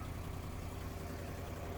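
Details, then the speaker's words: 1973 International 1110 4x4 pickup revived after sitting in weeds, driving: deep, loud engine rumble with rapid chuffing from an exhaust leak; brakes improved, good oil pressure. "You really hear that exhaust leak, but miss that the brakes are working just a tad better than they were before, which is what I wanted."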